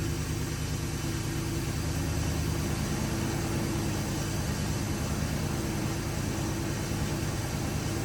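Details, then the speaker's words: 2002 Ford F150 4x4 with a newly installed 5.4L V8 long block, idling smooth and even with a steady low rumble; no ticking, knocking, leaks or exhaust leaks; normal idle. "That's what it's supposed to be right there. No noises, no leaks. Sounds good. Sounds real good. No exhaust leaks."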